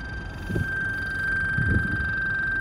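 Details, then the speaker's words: Insta360 Ace Pro action camera froze mid-recording and won't record; it emits a thin, steady, constant-pitch electronic whine through a couple of handling bumps. "The Ace Pro has frozen up. It's not letting me press record and it's just making this weird noise."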